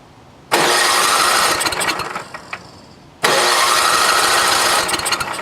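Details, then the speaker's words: NOMA 8hp snowblower in cold weather, carb rebuilt with cheap parts, fuel on, no primer: two long even cranking bursts that never fire. Won't start because no gas reaches the carb; nothing comes out of the needle. "you got a good carb for it but there's still no gas getting to it right now we've got the gas on and there's definitely not nothing coming out of the needle"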